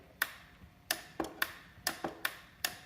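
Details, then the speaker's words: Ryobi 18V ONE+ 6-gallon cordless wet/dry vacuum, float pressure switch being pushed into place: about six sharp single clicks; the switch must click or the vacuum won't run, a normal seating click. "you put this on here, it has to make that click noise, otherwise it won't work. So there's the click, right?"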